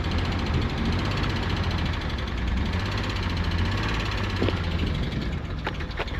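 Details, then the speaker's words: Nissan R34 Skyline, 149,000 km, parked outdoors 10 years, first start in years with pod filter and AFM reconnected, stale fuel, no coolant: uneven, lumpy idle with stumbling beats, misfiring but staying running unassisted; rough idle with misfire. "The fuel is stale. The engine sounds like ass. It's got no coolant in it, but she's actually staying on under her own power."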